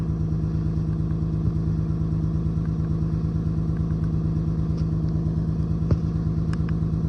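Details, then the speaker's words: 28-year-old Lexus GS300 inline-six idling unevenly with a recurring stumble; scanner shows cylinder 6 misfire plus random multiple; owner suspects cylinder 6 coil pack; misfire suspected. "So, all right. So, if it's cylinder six, that means the coil pack is probably bad on um cylinder six, which means the wire going from that coil pack to cylinder five would also be bad."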